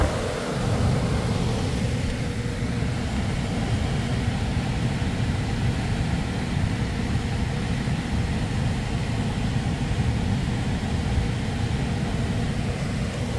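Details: PSC blower motor, wired in with a relay after replacing an ECM motor, fan run bypassing the thermostat: smooth, steady low rumble of moving air, no rubbing, ticking or whine; runs normally, correct rotation, 3.1 A rated.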